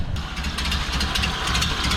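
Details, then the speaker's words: 1929 Ford Model A Tudor sedan four-cylinder, 12 V GM alternator conversion, about 75,000 miles, just started, choke off, idle bumped up: slow even chuff, steady exhaust pulses, no misses; purring like a kitten, normal idle while diagnosing battery drain. "Bump our idle up a little bit. She's purring like a kitten."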